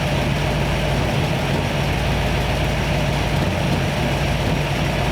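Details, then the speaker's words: 1934 Ford Tudor's small-block Chevy V8, first run after 50 years storage, fed by nurse tank direct to carb: deep steady low rumble, even beat, no knocks or misses, some smoke; normal idle. "need to clear some out but it's sitting there idling"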